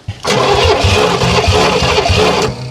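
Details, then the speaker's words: 1968 Oldsmobile Toronado 455 big block, barn find sitting ~44 years: cranks, fires in uneven lumpy bursts on two or three cylinders for about two seconds and dies; misfire, failed start. Owner suspects weak spark inside the distributor. "he's running on like two or three cylinders once in a while"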